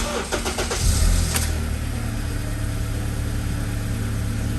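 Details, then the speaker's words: 2009 Acura TSX after replacing the cylinder 2 ignition coil that caused misfire code P0302, flashing check-engine light and rough running: engine cranks, catches quickly and settles into a smooth, even idle with no stumble; misfire fixed, normal start and idle. "zero sec oops wait this thing's fixed awesome"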